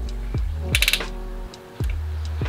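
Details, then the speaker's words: Mercedes M271 engine during cam gear replacement, chain tensioner screwed in and engine turned clockwise by hand: a few sharp ratchet clicks over a low hum as the tensioner releases and takes up slack; timing chain tensioner ratchet click. "okay they had the one click and then now i wanna go like a push now when i ratchet when i turn clockwise you're gonna hear it click"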